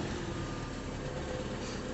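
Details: 2006 Chevrolet Cobalt LS that wouldn't crank or start, after a sulfated fuse connection for a 50 A fuse was found: low, even idle with steady rumble, no misses or knocks; running smoothly.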